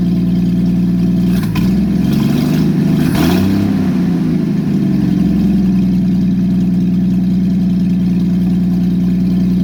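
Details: Engine with aftermarket Monojet carburetor freshly installed, exhaust off, start after about 3 weeks sitting; loud raw drone rises briefly then settles to uneven rough idle; owner suspects idle or mixture needle setting, choke needs adjusting.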